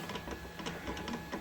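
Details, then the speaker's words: Auction Ender 3 Pro 3D printer after X gantry rebuild: rough rasps about three per second over faint whine as carriage wheels bind; misadjusted eccentric nut. "not supposed to sound like that so I'm just going to pick this up"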